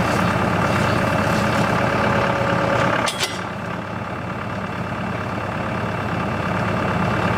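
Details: CountyLine post hole digger on a tractor PTO, first use with the 6-inch auger in very hard clay. Steady tractor drone under auger load with one brief clatter, no knocks or grinding. Works well, though clay clumps fall back into the hole.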